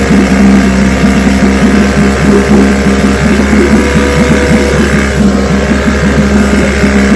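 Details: Restored then repaired vintage outboard, day four test, started at full throttle: fast, even buzzing two-stroke beat at steady speed, no misses or surging; running cleanly.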